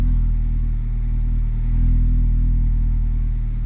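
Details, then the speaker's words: Mazda MX-5 ND cold start after ECU remap cutting the 30° cold ignition retard used to heat the catalyst: deep, steady idle still a little high, smooth; elevated cold idle. "mon régime est encore un peu élevé parce que je l'ai pas supprimé complètement en fait. Je l'ai gardé et par contre, il va se baisser un peu plus rapidement."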